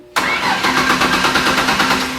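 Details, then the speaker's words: 2002 Ford Ranger with new battery and booster attached: brisk even cranking with strong steady rhythm that never fires; earlier cranking was slow, now spins fine but still no start, immobilizer suspected. "That sounds better. That sounds really good. Yeah. But so, what's the problem? Yeah, why isn't it fired?"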